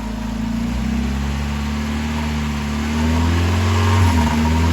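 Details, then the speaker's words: 1990 Miata: starts normally, then after running a while the idle drifts high and up and down rather than holding steady. The idle air control valve is suspected and was unplugged to test. "It starts out normal, and then after it runs for a little bit, it'll start idling up and down."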